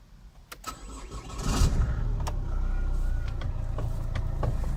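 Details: Chevrolet Cruze 1.7 diesel: low, uneven cranking thump about four per second with a metallic rattle, and the engine never catches; the clutch pedal sticks when it does start. Worn flywheel known to need replacement; crank, no start.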